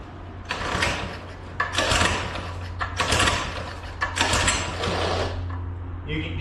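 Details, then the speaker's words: Doodle Bug minibike, refreshed, with carburetor still running poorly: raspy grinding bursts about once a second over a low engine hum, coming and going in waves; the clutch is sticking and worn out. "so yeah that's the doodle B that's what it's doing clutch is sticking"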